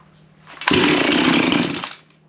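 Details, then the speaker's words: Chainsaw after its spark plug was cleaned: a short burst of high buzzing revs settling back quickly, firing cleanly with no misfire or stumble; runs fine, handle broken and chain to be sharpened. "All right. Well, that was easy enough."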